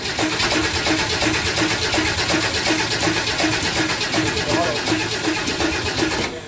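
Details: 1962 Ford Falcon engine after rebuild, failed during break-in: sharp, regular knock about three times a second over a steady idle; engine not yet opened, first thought to be valve cover/rocker; crankshaft striking a dented oil pan.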